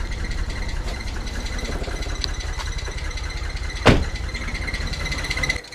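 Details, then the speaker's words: Abandoned Nissan R34 Skyline with Neo engine (solid lifters) on first start after a long sit with fresh fuel: rough, uneven idle with loose knocking; lifter/tappet noise suspected from sitting, cause not confirmed. "It should be solid lifters being a Neo motor, but yeah, they do get noisy if the car's been started up in a long time."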